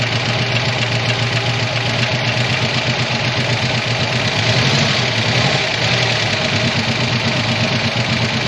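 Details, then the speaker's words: 1985 ASC McLaren coupe V8, newly built engine, first start since 2002 with eyeballed timing: uneven idle with an irregular knocking pulse and a slight surge while a nest clears from the exhaust; rough running. "apparently something had a nest in the exhaust system so it's shooting it all out now but holy crap she runs"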